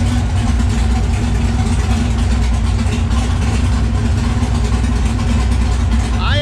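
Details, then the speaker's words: Camaro swapped from V6 to V8 with a T56 transmission, warm idle after throttle blade and idle screw adjustment, idle set to 760 rpm with idle air control at 5%. Deep, steady, even burble with no hunting or misses. "position is staying at five percent i have the idle set to 760 rpm so i was able to balance my desired idle with the adjustment screw"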